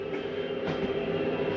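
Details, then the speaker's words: Jayco Eagle HT 27RS travel trailer slide-out retracting on its electric motor, steady even drone without catches or clunks; a little noise at the end is normal, the slide mechanism stopping itself. "I don't know if you heard that little noise at the end. Maybe this one will do it. But it's okay to hear this little noise at the end."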